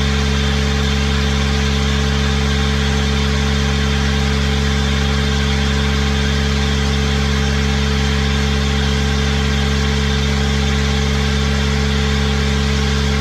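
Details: Small Kubota diesel driving a hydrovane air pump, running after a new 8-tooth-pinion starter fitted; steady, even clatter with firm regular beat at constant speed, no misses; normal running, though the pump makes no air and stalls when the tap is shut.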